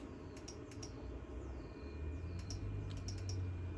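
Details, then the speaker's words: 1983 Honda Magna V65 VF1100C during electrical power testing with the engine started and rear signals unhooked: fast, uneven flasher ticks in short bursts over a low hum; the turn signal flashes intermittently, a suspected switch fault, and it worked after the switch was worked. "It's fast because we're not hooked up with the rear signals. All right, this one works. It's blinking up here finally. This side, still not quite there."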